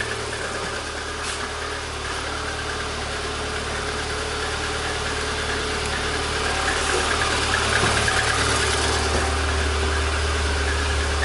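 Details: 1999 VAZ 2109 (21099), about 200,000 km, engine rebuilt at 170,000, after alternator refit for a whistling complaint: steady, even idle with a smooth low hum, no whistle or misses; engine running healthy.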